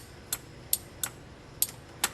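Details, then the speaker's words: 1969–1976 Corvette wiper motor on a test unit: sharp dry relay clicks with the blue wire off, but no motor hum. With the wiper switch ground removed the relay does not click, so the relay is energised through the switch but the motor never runs. "that's the only way to make it click so blue wire off uh relay clicks uh ground off the wiper switch relay uh uh does not click"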